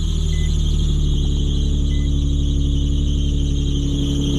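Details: Nissan 350Z rated 300 hp, start with clutch in: engine idling steadily with a faint intermittent high chirp or squeak from up front every time it starts, likely a belt or idler pulley squeal.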